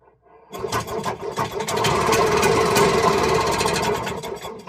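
Fires after a brief crank and picks up into a quick, even two-stroke rattle that holds steady, starting and running fine.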